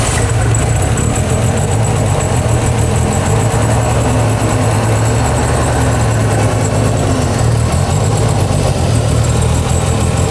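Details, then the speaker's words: Renault 5 GT Turbo, first run in 5 years after ECU and wiring work and turbo rebuild, revved to check for knocks: deep steady engine note, no knocks or ticks, clears when revved; turbo not seized, sounds healthy. "Well, we've got a turbo that's not seized. Clear it. Yeah, that's that'll do."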